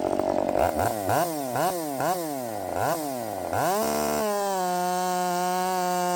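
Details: Redmax 5000 chainsaw with 16-in bar, .325 steel RS chain, likely 8-pin sprocket, after wide-open exhaust port muffler mod: several sharp revs, then one screaming steady note at full speed in the cut; strong, clean-running, feels blazing fast.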